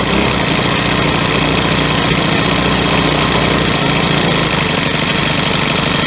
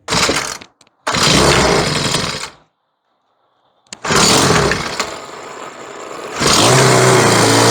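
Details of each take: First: Troy-Bilt four-stroke weed eater with a replacement carburetor and new spark plug, running on fresh gas after yellow-tinted stale fuel was removed. A loud, steady buzz without stumbling or cutting out; running evenly now. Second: Troy-Bilt four-stroke weed eater with a replacement carburetor and new spark plug, still on yellow-tinted stale gas. Pull-start bursts and a pause, then a ragged run that sags and stumbles; it barely runs on the bad fuel.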